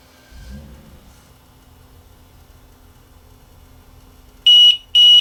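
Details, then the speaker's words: Tripp-lite Omni900LCD UPS that showed a fault icon and went into protection shutdown: two loud high-pitched beeps as it starts up in battery mode as soon as it is switched on; cause unknown, 40 amp fuses to be checked. "hmm well something's wrong because it's when I soon as I turn it on it starts up in battery mode"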